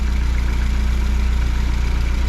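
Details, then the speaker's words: Fiat 124 Spider 2000 with good replacement coil, idling steadily around 800 rpm, timing 10 degrees, vacuum advance disconnected; regular firing pulses, no misses; old coil prevented idle below 1100 rpm. "so we're about 800 RPM which is where we want to be"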